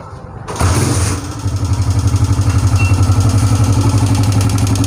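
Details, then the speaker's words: Old-model non-Euro Honda CG125 single-cylinder motorcycle after engine restoration and cylinder replacement, at fast idle: steady light top-end tick-tick persists; it won't hold a slow idle and stalls; tappet cover to be opened to check tappet setting. "लेकिन इसकी आवाज़ की वजह से हमारे दोस्त जो हैं परेशान हैं, उन्होंने सिलेंडर भी चेंज किया है इसका और इसका सारा काम करवाया है, लेकिन ये टिक टिक की आवाज़ जो है ख़त्म नहीं हो"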